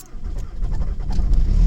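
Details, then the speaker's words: 2003 VW Jetta TDI ALH diesel, 260,000 km, modified (DLC nozzles, BV39 turbo, Kerma tune), unplugged at about -20 to -27 °C, one glow-plug cycle: catches quickly, settles into steady low rumble; good cold start. "Huh, weird, look at that. Started."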